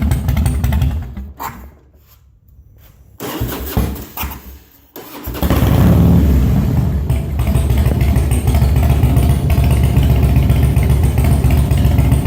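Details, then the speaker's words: Harley Twin Cam, new timing chain and Andrews 26 cams, carb mixture screw at about 2-1/4 turns after removing a stuck O-ring piece, cold start without choke: fires after a pause into a deep, steady loping idle about four beats a second; healthy cam lope. "So let me start it up for y'all. And it's a cold-blooded bike, so it doesn't like to be choked because I live in a warm area."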